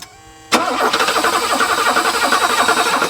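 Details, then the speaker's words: Pre-merger AMG Mercedes, sat 27 years, first cranking with fuel pump relay pulled to build oil pressure: even starter cranking about four beats a second for 2.5 seconds, engine never fires; no fuel delivered. "mark is going to try cranking it right now i'm not 100 sure if the fuel pump is working kind of doesn't sound like it is but uh either way we want to crank this up a little bit without it starting"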